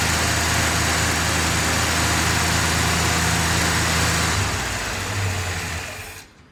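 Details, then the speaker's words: 1966 Chevelle V8 on new Holley 4160 carburetor replacing a swap-meet carb, 20-second test run before break-in: even lumpy idle, no stumbles or backfires, clean shutdown; carb feeding properly, no leaks. "right, that's just a quick 20 seconds there. Make sure the carburetor was working and there's no leaks."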